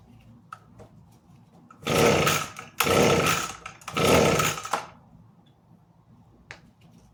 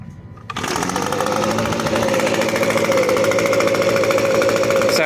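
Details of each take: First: Echo ES-250 leaf blower fires briefly but won't keep running: each pull catches about a second of ragged two-stroke buzz then dies; cause was the safety interlock switch not being depressed. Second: Echo ES-250 leaf blower vacuum, which would not start until the safety interlock switch was properly depressed, now fixed and tuned: the small two-stroke catches at once and holds a crisp, steady high buzz with even firing and no stumbling, running normally.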